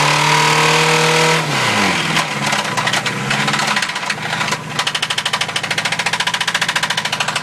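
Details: Mazda B2000 petrol engine revved, then dropping back into a loud, rapid metallic knock from a worn rod bearing; the owner tried to throw the rod through the block. Rod knock.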